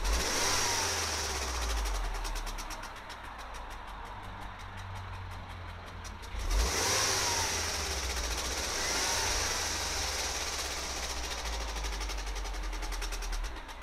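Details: Mini N18 engine at 35k: engine revs with a fine metallic rattle over the running note, sharpening as speed rises; source not pinned down.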